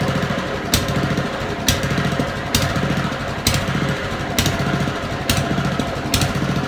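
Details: Honda lawn mower at idle before carburettor cleaning. Engine hunts, swelling and sagging about once a second, and cuts out intermittently; surge caused by dirt in the idle jet and float chamber.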